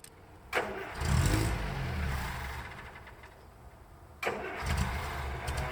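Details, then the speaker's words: Land Rover Series III, first start attempt in 10 years: two bursts of starter cranking, briefly catching then dying; no fuel delivery because power to the newly fitted fuel pump was never connected. "or you can calmly check your work and realize that you didn't even connect the power to the fuel pump that you put there"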